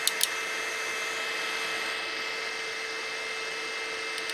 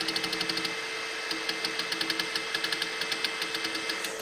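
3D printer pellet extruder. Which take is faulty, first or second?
second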